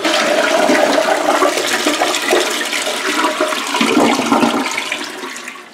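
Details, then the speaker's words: Toilet on septic line after clearing blockage with auger and snake and refitting with new seal, second flush cycle: strong, full rush of water draining cleanly then tapering into refill, no leaks seen; normal flush. "I'll cycle it one more time and we'll find out all right well flush this time"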